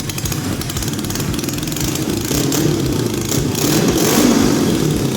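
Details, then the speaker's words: Homemade kart with a Suzuki GS500 motorcycle twin engine, first start after wiring the coils and starter button: it fires right up into a steady throbbing idle, then climbs smoothly as it's revved. "we have gas and power here we give the coil a negative start signal and there it is Yes sir we have it guys"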